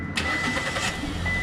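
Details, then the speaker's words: Engine starts immediately and settles into an even, smooth idle on all cylinders with no stumbling; after clearing codes, no trouble codes remain, check light is off, RPM okay, and the earlier misfire is gone. "Engine कोई miss fire नहीं है इसमें है ये आप देख सकते हो मिस फायर इज गन"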